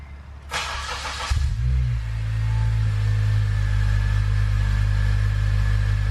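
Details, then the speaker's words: Acura TSX 6-speed being restored, after exhaust work to make it quieter; starter crank, catch, brief rev flare, then smooth, even, subdued idle drone with a tone but not deep; normal quiet exhaust. "that's definitely quieter in it it's got a tone to it but it's not deep that made a difference i like that"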